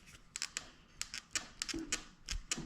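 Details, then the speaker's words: Rocking a LightCarbon LCE930 e-bike brings sharp, irregular metallic clicks in quick clusters: fork play and rattle because the lower headset cup is bored slightly oversized for the bearing, letting the fork knock and flex. "It's oversized a little bit for the lower bearing to where I have this fork play. I don't know. I mean, obviously the camera can't feel it. But you can hear the rattle already."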